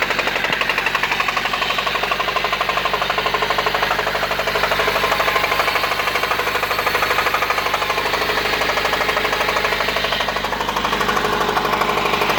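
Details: 1993 Honda Civic EG8 with D16Y1 VTEC swap: hard, steady bottom-end knock at idle after low oil pressure light stayed on and earlier ticking; sometimes stalls, grinding at low speed; rod bearing suspected, not confirmed.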